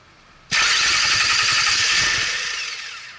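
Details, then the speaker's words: 2002 Mercury Sable brought in as a crank-no-start, with a noid light and HEI spark tester connected: the starter whirs with even cranking pulses for about three seconds, briefly catching for a second, but the engine does not start. "This car was brought in, it would not start, cranks. I'm going to show you what it sounds like."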